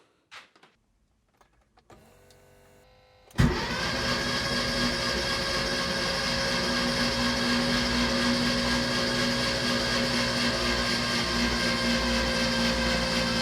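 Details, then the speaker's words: Rebuilt Porsche 911 Carrera engine, first crank after rebuild with spark plugs out and injectors disconnected to prime oil pressure: faint clicks, then fast, even starter whir about twice a second with no firing. "So the spark plugs are out to sort of, allow it to build pressure with a high cranking speed and no pressure on the rods or anything."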